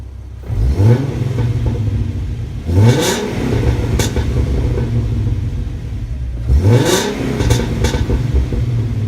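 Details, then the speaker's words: 2012 Ford Mustang V6 after cheap headers were installed, with older Flowmaster axle-back mufflers, idling and then blipped several times. A loud, deep, raspy exhaust with no knocks or rattles; it revs freely and sounds healthy. "it's got flowmaster axle-backs on the back of it and there are older ones I don't know if that effects the sound or whatever but I want to start it up let you hear it"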